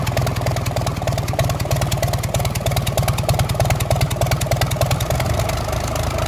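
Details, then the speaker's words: Gardner 6LXB diesel, 1972 Atkinson Borderer, nearly a million miles, run with manifolds off to compare smoke: hard, even chuffing from open ports about three beats a second, no cylinder standing out; smoke same on all cylinders. "the smoke is about the same for all the cylinders so we're not looking for a problem specific to an individual cylinder"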